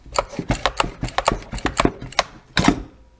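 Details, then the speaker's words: Stihl MS211C chainsaw, new, easy-start recoil: light ratcheting clicks as the starter spring winds, then a short whirring burst as it lets go and spins the engine over; normal easy-start operation. "that's what it's doing it's winding it up and turning over so if you just yard that out a bunch it's probably going to turn it over four or five times"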